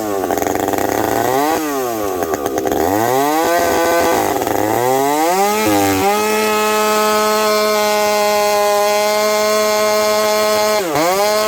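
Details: Husqvarna 372XP chainsaw fitted with a new bolt-on UFO pipe, warmed up at about -30 to -40 °C, cutting frozen ash: revs up, steady high cutting drone with slight four-stroke burble under load; healthy, touch rich, high jet already leaned a smidge.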